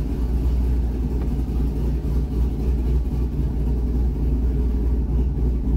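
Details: C6 Corvette V8 after cam and header swap, first start on revised idle tune targeting 825 rpm: deep lumpy low idle with uneven loping beat; cammed engine running as it should.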